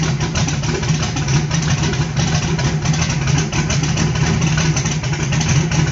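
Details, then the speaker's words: Carbureted small block on pump E85, CSU blow-through carb, no choke or aux fuel, cold start on a warm day, engine still cold; loud, uneven, lumpy idle with rough low pulsing; E85 not yet burning cleanly. "as no temperature at all e85 hasn't even started to want to ignite and yeah this poor little carburetor that everybody hates works it just works"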